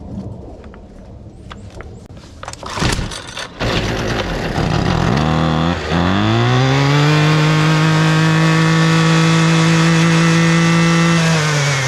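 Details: Husqvarna 128DJX 2-stroke string trimmer after new carburetor: catches after a few pulls, revs smoothly to a clean steady high drone without bogging; running properly.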